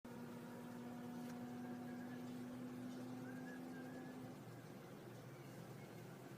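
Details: 2002 Honda CR-V at warm idle: steady low hum that cuts out after about four seconds; absent on cold start, appears after a few minutes of driving above about 800–1500 rpm, goes away when driving; no check engine light; cause unknown.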